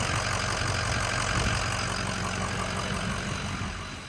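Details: 2006 Ford F-350 6.0 diesel, started after replacing both fuel filters (found pitch black and restricting flow), checking for leaks: steady, even diesel clatter at idle with no misses or stumbles; normal diesel idle.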